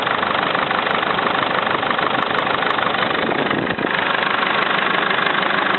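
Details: Mercedes Sprinter diesel idling with a quick, regular tick about three a second over the clatter. Heard only on the turbo side after a recent semi-synthetic oil change, and bad oil is suspected. Hydraulic lifters are suspected but unconfirmed, pending a garage inspection.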